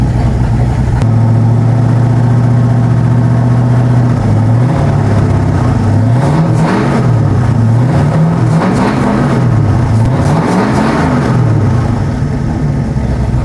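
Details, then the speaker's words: Ford 460 big-block V8 after cam install, hot after about 15 minutes of break-in: smooth steady idle, then clean throttle blips rising and falling freely; earlier intermittent ticking gone, revs normally. "so she's broke in she does sound good I was worried at first but I thought I heard some ticking going on coming and going but it was just breaking in bro yo it sounds good"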